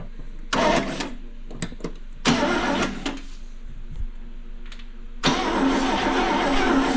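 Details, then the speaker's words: 1974 International pickup, sitting for years, coil jumped to switch: starter cranks in short bursts, steady churning but never catches; no spark, later traced to dirty ignition points. "still no spark what's happening"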